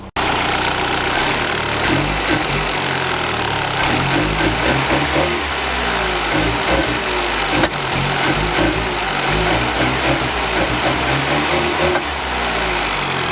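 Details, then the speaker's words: VW Golf Mk3 with original parts refitted plus known-good Hall sensor, new distributor kept: steady, even idle, constant low rumble, no misses or stumbles; normal idle. "a normal idle now which thank God for that so hopefully with all my original stuff back on plus that good working hall sensor maybe it's fixed"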